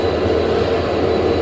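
Steady low hum with a faint even tone through the run, no knocks, scraping or surging; the lift motor is running normally.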